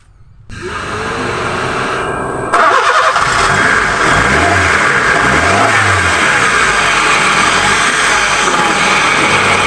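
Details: Honda City 3A engine after no-start repair of distributor and spark plug wiring (cylinders 1–4 rewired): starter whirs briefly, engine catches cleanly, settles into steady idle with smooth revs; healthy.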